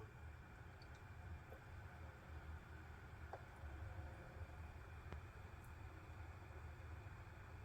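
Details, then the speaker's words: PS3 that had a red-light fault, running after a repair attempt from an old forum thread: soft, steady low fan whoosh with no rattle, surging or scraping; the console powers on and the fan runs normally. "all right so it is working it turned back on fantastic lights on running hear that fan"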